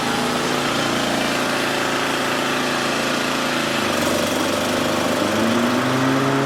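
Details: Toro 30-inch mower after installing a new spindle pulley with a replacement nut: steady engine drone with smooth blade whir and a brief pitch shift, no squeal or grinding from the deck; previous noise gone.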